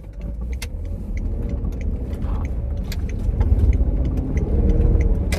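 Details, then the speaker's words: Range Rover L322 supercharged on a test drive, no check engine light yet: a deep drone with a lumpy, uneven pulse, as if running on maybe six of eight cylinders. Engine misfire; something is loose or missing, and clogged cats are suspected. "it's not running on eight it's running on much less than eight maybe six"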